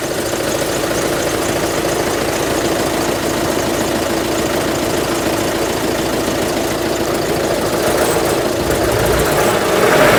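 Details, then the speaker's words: Citroen GSA flat-four idling while testing whether the bad engine noise is the alternator: gritty, uneven mechanical chatter over the idle, returning as belt tension is changed; source unconfirmed, alternator suspected. "we start getting the noise back so I'm going to try a slightly different um tension"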